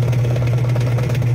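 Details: Washing machine spinner after repair: a strong, even low hum with no cracking or grinding; the spin side now runs smoothly.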